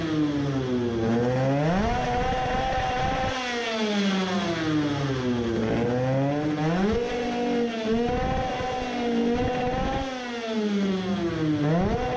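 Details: Two-stroke 50cc racing moped on a gravity-fed fuel hose test: repeated screaming rev sweeps to about 16400 rpm roughen at the top; high-rpm misfire persists with no fuel bubbles, cause still unknown.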